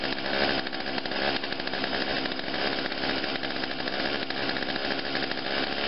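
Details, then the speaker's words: Small two-stroke chainsaw, started dead cold on choke with three primer pumps: raspy steady buzz then two clean throttle blips rising and falling; starts easily and idles right away, healthy. "and it aisles right away see that's how it should be all right it's a good that's a good machine"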